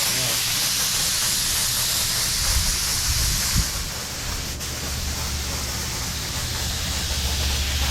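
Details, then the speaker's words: DeVilbiss FLG4 paint gun spraying candy coat: steady high air hiss with pulsating spurts and sputters, spitting even after adding reducer; suspected clog, too-thick paint or too little pressure. "Try turning the pressure off. It's spitting like crazy."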